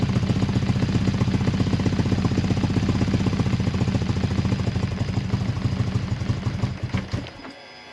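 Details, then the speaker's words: BMW R1100R oilhead motorcycle twin starts and runs with a deep, lumpy pulse for about seven seconds, then stumbles and dies, even with choke on; fuel starvation from blocked filter suspected, fuel pump and filter being replaced. "I'm straight up, but alas, dies into throttle still. Nothing."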